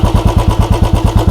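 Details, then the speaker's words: Royal Enfield Bullet 350 (BS6/BS4/BS3 comparison). Even single-cylinder thump at about nine beats a second, a little fast for idle, with no knock or tick; no abnormal engine noise, just slightly high idle rpm. "इसमें भी engine से क्या कोई आवाज आ रही है? नहीं। बस आरपीएम उच्च है यह"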